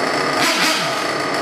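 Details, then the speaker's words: Trinity Extech .24 nitro truggy engine, ported and modded, idling through its first break-in tanks: high, steady buzz, even and clean; healthy idle. "I'm going to uh probably idle this tank through it just the air on the side of safety cuz I know uh EB mod says that they run 500 CC fuel through it so uh I'm going to get at least one tank idled through it"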